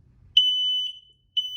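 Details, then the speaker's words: Three smoke alarms (two wireless, one hardwired) with a wall controller. Smoke is put into one alarm, which flashes its red light and sounds a loud piercing high tone in roughly half-second bursts with pauses, triggered by smoke in the sensor. "So what I'm going to do is I'm going to take those two out of the way and put smoke into this one. And you'll see the red light flash."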